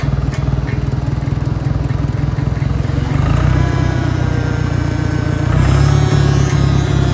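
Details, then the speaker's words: Properly maintained 1963 John Deere 1010 tractor in first gear at about 1,000 RPM. A steady engine thrum with a mild, even gear whine rising slightly as it pulls: normal transmission noise. "so there you have it 1963 properly maintained noise level out of the transmission in first second and third and reverse"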